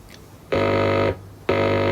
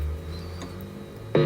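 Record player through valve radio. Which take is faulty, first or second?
second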